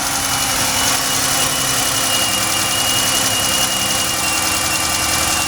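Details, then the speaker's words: Petrol engine at smooth idle with a thin, steady high whistle attributed to the alternator, alongside a separate ticking sound; otherwise runs okay; alternator fault suspected, not confirmed. "you can hear the whistling for the alternator. But other than that, runs okay."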